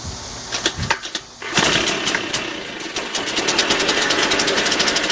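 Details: Shindaiwa EB803 engine blower after a no-start caused by sand in the carburetor, fixed by cleaning it, new diaphragm, filter and spark plug: cranks and catches at about 1.5 s, then steady high-pitched two-stroke buzz; normal running.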